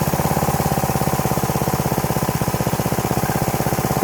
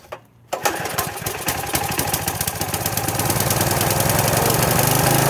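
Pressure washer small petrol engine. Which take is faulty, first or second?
second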